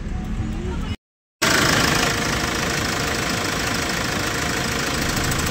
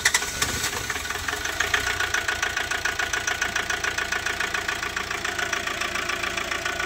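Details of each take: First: Hyundai Porter 2 D4CB Euro 4 diesel with low power: idle with rapid uneven chuffing puff over clatter; leaking injector washer causing combustion blow-by, fixed by replacing injector washers. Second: Hyundai Porter 2 D4CB Euro 4 diesel after injector washer replacement and cleaning of turbo, EGR, intake, catalytic converter and oil strainer to cure blow-by and low power: steady even clatter, three to four beats a second, no stumbling; normal idle.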